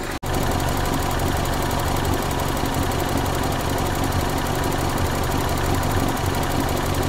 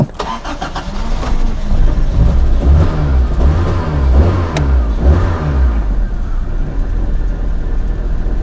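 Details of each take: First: 1994 Toyota Celica, single-coil ignition, intermittent weak spark on one cylinder: steady, even idle, no stumble; that cylinder now firing; suspected distributor cap moisture from earlier coolant leak. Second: 1994 Toyota Celica four-cylinder petrol engine, single ignition coil replaced two years ago: starts and idles roughly with an uneven stumbling beat, a severe misfire on cylinder two from weak, intermittent spark.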